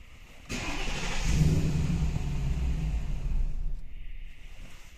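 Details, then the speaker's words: Mercedes W221 with M273 engine, stalls on starting, increasingly often: catches, runs rough and uneven while held on throttle, then sags and dies; won't idle without throttle. "Все, пока газу не дал, не работает."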